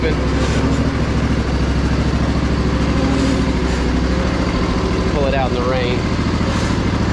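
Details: Crusty Poulan Pro zero-turn, deck engaged: a steady engine drone under load with no grinding or rumble from the spindles, which are very quiet. Normal running.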